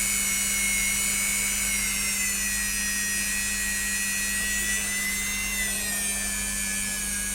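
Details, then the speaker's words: Repaired Dremel, about 12 years old, after new capacitors and a replacement 24 kΩ resistor, powered from a bench supply with cover loose; steady high-pitched whine over a low hum, no stutter or surging, runs smoothly. "it was the 24 kilo ohm resistor i believe it should be something else but it's working"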